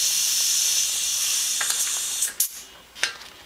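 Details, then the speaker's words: New air compressor with outlet pressure about 40 psi, chuck on tire valve stem: loud steady high hiss of escaping air, then it drops among handling clunks; air leaking past a poorly seated chuck, cause suspected. "hang on let me get a good connection here hang on there's so much air out of the tire now that it's pain in the ass"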